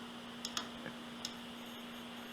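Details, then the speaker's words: 80GB IDE Spinpoint hard drive, opened (landing-zone type) and running: steady spin hum broken by sharp repeated clicks as the head fails to read a track, returns and retries over and over, click of death. "there we go that's the click i was hearing [Applause] so there we go that's our failure it just does that over and over again it's failing to read a track right about there so then it just goes back and then it tries again and then it can't read"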